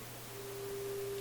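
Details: Westinghouse 622 vacuum tube radio after replacing more capacitors, meter near 6: clean, steady mid-pitched tone holding without hum or crackle; normal audio output.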